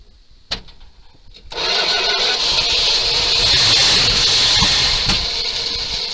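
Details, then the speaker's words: 1978 Dodge D200 crew cab 318 V8 after 17 years abandoned, started on gas and ether: catches after a few cranks, runs rough and hissy with sharp pops, backfiring; owner unsure if timing is off or carb needs work. "Well, she's gonna run, but she's backfiring like crazy, so I don't know if the timing's off or we just need a bit of carb work."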